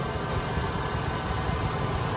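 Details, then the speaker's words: 1988 Ford Econoline E150 4.9L idling after a new serpentine belt replaced a squeaky one that belt dressing had not cured: steady, even idle with a low rumble and no squeal or chirp; sounds healthy. "everything sounds good I'm ready to go to work see you guys on the next one"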